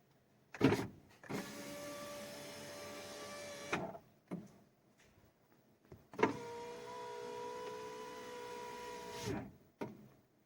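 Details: Fiat 500 (Cinquecento) power window after repair, a loose screw behind the closing noise tightened: two smooth, even strokes, steady motor hum ending in a soft thump, no rattle; normal operation.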